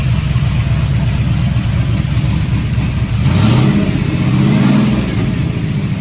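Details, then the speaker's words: LS-swapped G-body Cutlass V8, one muffler off, cold start: thin chirping squeal over loud open-exhaust rumble, shifting with revs; owner suspects the accessory brackets, a common issue, with a Dayco 6PK2030S belt fitted. Belt squeal on cold start. "um yeah that's it hopefully y'all can hear that in the video the squeaking"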